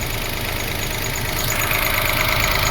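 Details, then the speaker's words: 2005 Toyota Passo after the idle control fault from a previous repair was diagnosed and codes cleared: smooth, even idle with a steady hum and no knocks, misses or hunting; idle control problem solved. "Okay, looks like we're running well."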